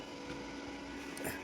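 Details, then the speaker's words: New Shakti 250 A single-phase IGBT inverter welding machine just switched on: steady low hum with faint even whir, no rattles; the cooling fan is spinning normally. "చూసారా, sound వస్తుంది, fan తిరుగుతుంది."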